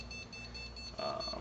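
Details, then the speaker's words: New PC build powered up on an Antec 900W power supply with no RAM installed: short high-pitched beeps repeat steadily over quiet fan hum; motherboard memory error code, all fans working, awaiting RAM. "all the fans seem to be working so at this point we just got to wait till we get Ram I don't think it's going to do any of my um any of my fan lights until then"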